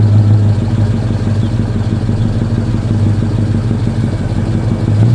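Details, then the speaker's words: 2009 Mercedes-Benz SL63 AMG (R230) V8: loose, uneven ticking clatter over lumpy idle, audible from outside as it pulled in; suspected lifter tapping in bank 2 valvetrain, valve covers to be removed for investigation. "the customer just brought it in yesterday and we could hear it pulling in that's how loud the lifters were tapping"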